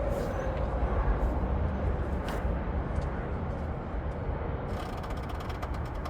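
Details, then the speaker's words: 2012 Honda Odyssey front strut, steering wheel turned: rough creaking and ratcheting clicks about four a second from the top strut bearing; worn strut mount bearing. "amortiguador ya que está haciendo un ruido fuerte ahí en el valero de encima."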